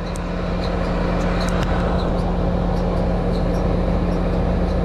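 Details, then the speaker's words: American Standard AC condenser, refrigerant pressures okay, capacitor replaced twice within a year: steady fan roar with a low hum and faint ticking about three times a second from worn condenser fan motor bearings. "fan motors going out you can hear the bearings in that fan motor they do not sound good"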